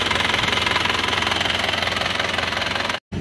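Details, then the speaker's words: Isuzu Panther diesel after blow-by repair with cast liners: steady, even clatter, no misses, knocks or odd sounds; normal running. "Ini kalau kita merasakan suara dari dalam kabin itu suaranya sudah halus. Menurut saya normal ya."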